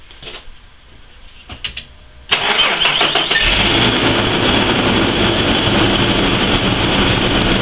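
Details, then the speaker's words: Ford Falcon with overdue, dirty engine oil (owner says change at 7,000 km, not 20,000 km), engine bay filmed: starter catches quickly and settles into a smooth, quiet idle with no lifter tick or knock. Normal idle. "see the engines nice and quiet"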